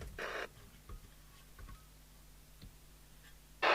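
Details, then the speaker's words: Spinneytonic CB199 UK CB27/81 mobile CB radio (fake Amstrad chassis, Hong Kong-made, Littlewoods catalogue) after replacing a short-circuit capacitor and soldering the speaker back in: faint clicks, then strong steady hiss from the speaker at switch-on; receive audio working normally. "we have audio so in conclusion we now have hopefully a radio we can switch on"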